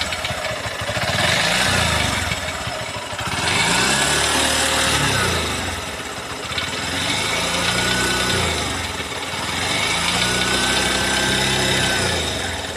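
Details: New Honda CB200X single-cylinder engine revved up and down in slow waves with faint irregular ticking under the exhaust; abnormal engine noise, no clear cause.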